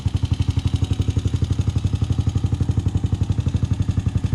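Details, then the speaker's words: 2006 Honda TRX250EX after top-end rebuild (new cylinder) and fresh 10W40 oil: steady, even single-cylinder thump at idle, regular beat, no knocks or misses; engine sounds healthy. "Sounds good. Nothing bad so far."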